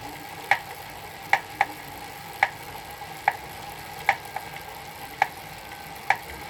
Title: Elite Suito knocking sound